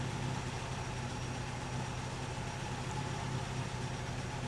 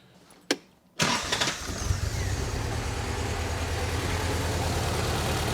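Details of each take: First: 1964 Triumph TR4 rebuilt engine after refitting the new distributor rotor in place of the worn old one: steady even low idle with no misses; scope shows all cylinders back to normal, cylinder 4 slightly different. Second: 1964 Triumph TR4 rebuilt engine running with the old distributor rotor that has play: cranks, catches and settles into a lumpy loping idle; scope shows high resistance on cylinder 4 spark line, traced to the worn rotor.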